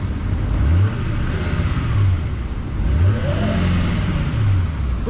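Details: Diesel truck at auction walkaround, no emissions equipment: deep rumble rising and falling through several throttle blips, pulling cleanly with no knocks or misses; normal revving, sounds healthy.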